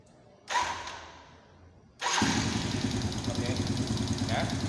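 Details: Yamaha Vega ZR single-cylinder motorcycle after valve clearance adjustment (intake 0.05, exhaust 0.08–0.12 mm): fires after a short crank and settles into a steady, even idle with light, regular ticking and no stray knocks.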